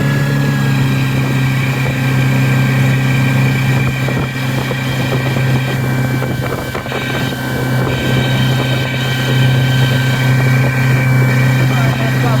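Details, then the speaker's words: New 2020 Mercury 50 hp four-stroke outboard in break-in, third hour of use: thin steady high squeal over the drone returns at 4,000 rpm, absent at 3,000 rpm; owner suspects bearings, cause unconfirmed. "3,000 RPMs? No sound. 4,000 RPM. Up to 4,000 RPMs, sound's back on."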